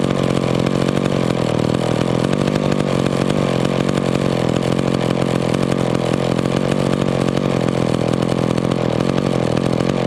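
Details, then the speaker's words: McCulloch Pro Mac 10-10 chainsaw, warmed up, idle mixture screw turned fully in yet still idling: steady even buzzing two-stroke idle; owner suspects small air leak from worn crank seals, unconfirmed; idle will not lean out. "this saw probably has a small air leak because i turned that idle mixture all the way in and it still still wanted to idle so it probably has some crank seals going out in it"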